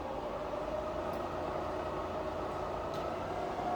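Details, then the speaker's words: Fully rebuilt Bridgeport variable-speed head, spindle starting at about 900 RPM; quiet smooth hum, tone rising slightly, no grinding or rattle, head runs healthy after parts and labour. "So that's all running great. You hear how quiet it is. So there's a lot of time, a lot of money spent on parts and labour to get the head running that nice."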